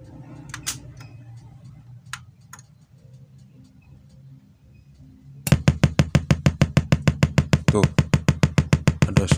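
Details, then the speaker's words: Sharp CD BK-1600 mini compo after panel-error repair, test speakers connected: quiet hiss then steady thud-thud pulsing about three a second in speakers instead of music; amplifier motorboating from a drifted resistor, unrepaired, an audio cable also found unplugged. "suara dudukan masih belum sembuh teman-teman Hai Kenapa ada suara Dudut ternyata suara duduknya enggak hilang"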